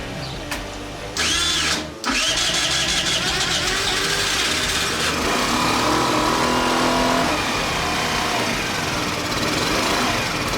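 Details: Tomos Nitro 50 scooter, rebuilt after 10 years unused and started on a truck battery; the small engine catches after a few turns and settles into an uneven buzzy run that hunts and stumbles; still rough, cause unclear.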